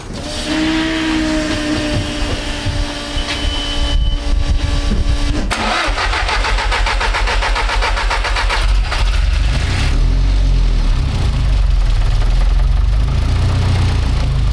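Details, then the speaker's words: Engine started after swapping the Garrett G25-660 turbo for the smaller G25-550: a harsh, rapid puffing rasp over the idle from a serious exhaust leak at the turbo where the EGT probe was left out; it ran better once the probe was fitted. "I know that sounds horrendous oh damn it Nick you GT probe beauty pros hanging out what a Muppets toy has serious exhaust leak"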